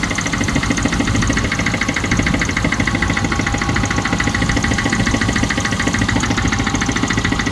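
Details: Range Rover Classic 3.5 V8 at idle: fast, fairly even ticking about three per second over a rough idle. Owner unsure whether engine knock or tappets.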